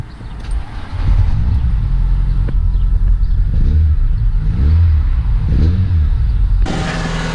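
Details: Renault Clio 182 right after replacing the fuel injectors, which had caused a flashing engine management light and fuel pouring from the exhaust: catches quickly, then clean throttle blips rise and fall smoothly with no stumble. Running properly.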